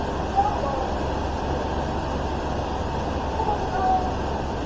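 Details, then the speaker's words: 1994 Chevy S-10 starting right after a new fuel tank, pump, sending unit and lines were fitted with 5 gallons of gas, no fuel added to the carburetor: a steady, even engine rumble with no misses or knocks, running cleanly. "Hey! Woo! It's a runner! I didn't even have to put any fuel in it. Or in the carburetor."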